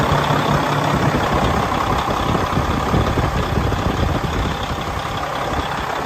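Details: 2016 Freightliner Cascadia Evolution, DD15 diesel, heard outside at the engine while idling; deep even idle, steady low rumble, no knocks or misses; healthy.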